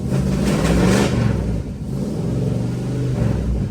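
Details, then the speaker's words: 1973 Dodge Challenger big-block V8 with HEI, fresh plugs and adjusted idle screws, cold start without choke: settles into a fast, slightly lumpy cold idle with all eight cylinders firing evenly; healthy for a cold start. "Not perfect, but it sounds like 8 happy cylinders, so that's a good start. One might expect cold starting a big block with no choke to be a little rough."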